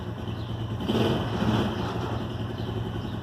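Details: Shineray 125 motorcycle that would not start on the electric starter, after electrical repair: short burst as the small single catches and settles into a steady, even run with no misfire; normal start and run.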